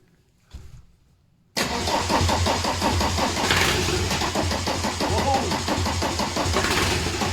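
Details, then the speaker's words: VW T25 camper with a swapped-in TDI engine, gearbox fitted: quick steady cranking at about four beats a second with strong uneven kicks on easy-start spray. A healthy crank, much improved over before. "You know what, let's just give it a little shot of easy start. It's not going to start, but it'll kick. It'll kick like a mule."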